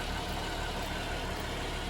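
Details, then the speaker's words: 2010 GMC Acadia 3.6 L after timing chain and VVT actuator replacement, idling: smooth low rumble, no knock, tick or miss; new Bosch high-pressure fuel pump audible. "And you can hear that high pressure pump, you know. Kind of a different sound I've never heard on an engine before. It's a brand new pump, it's a Bosch pump,"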